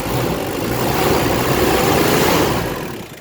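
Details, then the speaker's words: Ford Ranger after top overhaul, started once a leaf was removed, AC on: engine note swells, holds, then eases back to a slightly raised idle, smooth and even with no misses; normal idle. "Kaya pala umandar kanina dahil may dahon lang pala eh ayun one click All right All right na all right aircon natin ganda ng andar"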